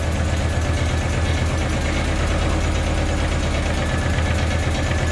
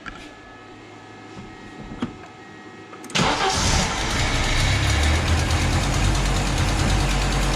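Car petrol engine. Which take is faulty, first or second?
first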